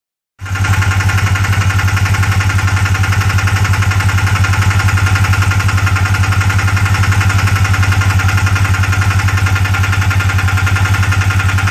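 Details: 2015 Polaris RZR, 900 miles on engine, under warranty: idle with steady knock about four beats a second over a deep drone; went away after idling several minutes, returned when driving; dealer claims timing chain tensioner, owner skeptical.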